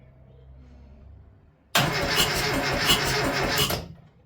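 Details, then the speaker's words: Classic Mini, first turnover in about 10 years: starter powered directly because the key start doesn't work after a new relay and cleaned earth point; two seconds of brisk rhythmic cranking, about three compression pulses a second, not catching; normal cranking. "So, we did hear it turn over for the first time in like 10 10 years, which is amazing."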